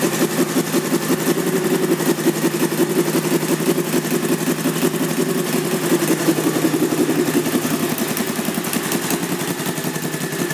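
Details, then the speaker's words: 2001 Honda VT1100C Sabre V-twin cruiser, just over 22,000 miles, idling with loud, lumpy, uneven exhaust beat; sounds like baffles pulled, though pipes look OEM; unconfirmed. "Almost kind of sounds like the baffles may have been removed on this one too, but they look like they're OEM pipes."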